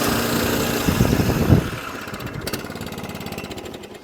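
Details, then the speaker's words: Hayter Ranger 53 lawnmower rescued from the dump because it won't reach full revs, started cold: it fires and runs with a lumpy, uneven beat, then sags and fades within seconds, not running right. "so this one is what it needs just a little bit of love a little bit of help because it isn't it isn't quite right yet"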